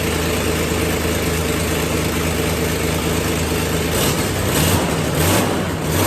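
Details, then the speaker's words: Car started after sitting 5 years untouched on 5-year-old fuel; loud raspy idle with uneven puffing chuff about 1.5 times a second; large exhaust leak, otherwise runs well. "sounds like we might have a terrible exhaust Le but it started well aside from a terrible exhaust leak which I will fix it actually runs good"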